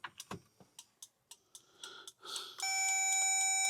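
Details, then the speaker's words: 1930s Ford Model Y with turbocharged 2007 Mazda MX-5 engine swap and standalone ECU, no crank: quick light ticks then a steady beep as hazards flash once the main kill switch is on; wiring short suspected, OBD power pin lost. "The clicking is a hazards going off. I don't know if you can hear that. But as soon as we connect up the main kill switch, turn it on, hazards start going off."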